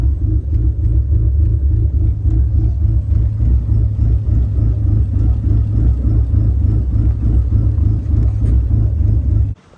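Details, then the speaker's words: SRT4 with big cams, a big turbo and much bigger injectors on a rough-estimate tune, first idle after the cam install: a loud, choppy, lumpy idle with irregular misses and stumbles. A rough idle. "So, as you can tell, pretty choppy."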